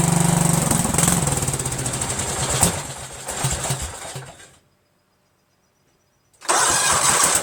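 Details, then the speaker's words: Cub Cadet tractor with a 13 hp Kohler Command CH13 engine, cranking after a mechanical fuel pump install while waiting for fuel to be drawn up. Steady starter churn about four beats a second, a pause, more cranking, no firing yet. "it's gonna crank a while because it needs time for the gas that we sucked up you know"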